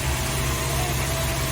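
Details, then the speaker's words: Renault 4L (4L Trophy car) after repairs including fuel filter change: starts and idles evenly with a steady low rumble, no stumbles or ticking; normal idle. "elle démarre elle tourne bien"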